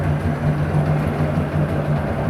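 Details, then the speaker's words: 1994 Evinrude 120 two-stroke big-bore outboard, 20-inch shaft, fresh tune-up, new plugs and water pump, cleaned fuel system, warming up with good water flow: steady even drone, no knocks or misses; normal running, smokes as two-strokes do. "they do smoke they're two strokes but they sure scream good motors"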